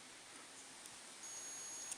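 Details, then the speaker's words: Shurflo 9325 pump motor, multimeter on continuity across the motor contacts, gives a steady high tone for about half a second. It read open before; the worn brushes were fiddled into temporary contact. "Okay. And when we set these on here, see, now we hear a buzzing sound because it's making contact again."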